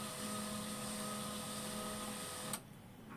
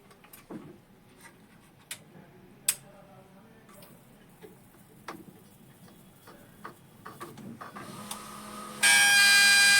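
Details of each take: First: HP 1005 printer that initialized continuously with a noise from the scanner motor: with the inner motor cable removed, a steady even whir with a faint high whine, then a clean stop; initializing properly without the noise. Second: HP 1005 printer that keeps initializing and won't print: scattered light clicks, then a loud, harsh electrical buzz. The noise comes from the scanner motor, not the initializing motor, and stops when its cable is unplugged.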